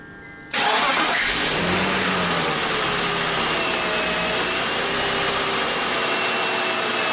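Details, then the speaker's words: 1999 BMW 320i E46, M52 2.0 L inline-six, 5-speed automatic, about 77,750 km, first start of the morning: fast cold idle with a faint steady whine; owner suspects belt area, plans to replace fan belt components. "このエンジンもステップワゴンと同じようにどうも朝一の始動時に変な音がするんです。まったく同じ症状です。"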